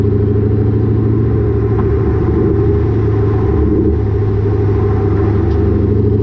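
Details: Lowered car (rear coilovers) with Borla catback, after a header-wrap fix: steady deep exhaust rumble while driving, with no thuds or knocks; the exhaust no longer hits the axle or suspension.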